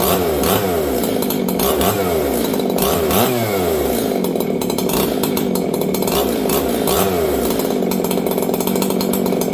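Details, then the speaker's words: Old Jonsered 630 chainsaw with a new Husqvarna full wrap bar, first run since last used in winter. Revs up and down with a burbly, uneven edge instead of a crisp scream; running rich on the carb. Owner turned up the idle. "She's rich. See that, friends? Last time I ran this, it was winter, and you guys can hear it right now. It's rich."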